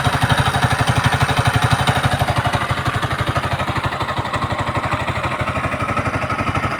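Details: Yamaha MT-15 (VVA) idling: fast, even chuffing beat about three per second with a light clattery edge; abnormal engine sound being traced, source unclear.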